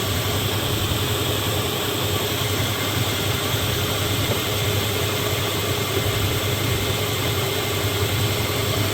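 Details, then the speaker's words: Dodge Ram 1500 (2002-2007) after replacing the power steering pump and refilling fluid, engine idling while the wheel is slowly turned to bleed air: steady idle with only an even hiss, no whining; quiet, healthy pump. "I'm not even hearing anything, no whining or nothing really."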